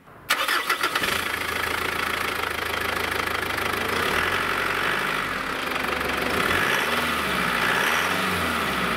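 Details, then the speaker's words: Mitsubishi Pajero turbo diesel after replacing vacuum hoses to fix power loss: cranks and catches cleanly, even idle, short revs bring a rising whoosh as the turbo audibly spools again, not heard for a while; power restored. "one thing I noticed was I could hear the turbo spooling up which I hadn't not noticed for a while"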